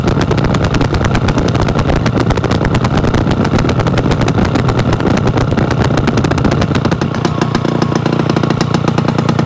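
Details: Yamaha AT-1 converted to CT-1 two-stroke, first start after rebuild with wiring done, oil pump primed, carburetor problems fixed, choke on, pre-mix plus oil pump: crisp fast even crackle holding steady, no misses or knocks; normal running.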